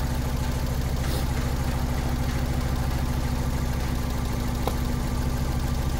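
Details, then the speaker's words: 2002 Fiat Punto 1.2 petrol, judders, flashing engine light, non-original coils, coil 2 fault code and very hot; idling with coil 2 disconnected, slightly lumpy beat with no change in engine speed, misfire at idle from cylinder 2 suspected. "Vous voyez, quand je déconnecte la bobine numéro 2, on n'a carrément aucun changement au niveau du régime moteur."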